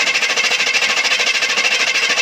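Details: 1978 Chevy K20 400 c.i. small block after new plugs, wires, cap and rotor, one back plug not yet changed, pedal pumped: fast even starter chatter about eleven pulses a second with no firing; long cranking, no start.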